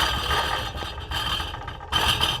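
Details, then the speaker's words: Nissan 350Z, cold start: harsh metallic rattling and clattering in bursts from a failed baffle loose inside the driver-side test pipe, quieter as it warms up and drives; fixed by deleting the baffle and fitting a new Y-pipe. "definitely um failed in a way for the inside baffle uh if you could hear this Scoot a little closer okay so that that's what I'm hearing every time I start my car up"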